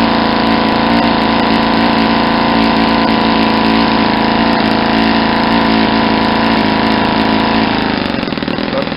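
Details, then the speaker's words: Saito 50 four-stroke RC engine on first run after rebuild (new ring, bearings, valve lash set), APC 11x7 prop, Omega 10% fuel; needle deliberately set very rich for run-in: steady mid-pitched drone with soft, uneven, blubbery burble, no crisp bark; over-rich mixture. "I'm gonna set the vision really really rich first thank you way to see how much smoke is Tori sauce is coming out because I got it's a really rich and you'll hear kind of blubbery"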